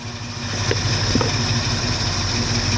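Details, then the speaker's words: 1969 Mustang V8 after disc brake conversion, cold with choke coming off, idling about 650–700 rpm, expected to drop toward 600 when warm; low steady burble with no misses, knocks or ticks; normal idle. "So we're idling. Right now we're idling at about 650 RPMs, maybe 700. After it warms up, it'll drop down a little more. I got it all the way down to 600 RPMs last night. So it runs really well, as you guys can see."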